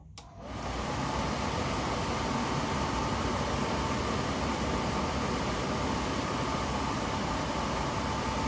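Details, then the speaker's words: Suburban SF-30 camper furnace bench-tested with propane in a garage after repair (owner thinks the new igniter or clearing a clog fixed it): blower spins up within a second, then a steady even rush with no clicking or rattling; lit, normal. "the repair has been made must have been the igniter new burner igniter or or is cleaned out has something clogged in it uh I think we Gucci we got heat"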